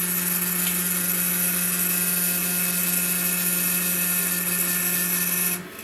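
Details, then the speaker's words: Chinese laser cutter stepper motor at 40 mm/s. A steady, rattly buzz at a low fixed pitch with lots of noise and vibration; resonance, possibly from microstepping holding the motor back. "this is 40 millimeters a second a lot of noise obviously vibration going on and yes we're generating some resonance there"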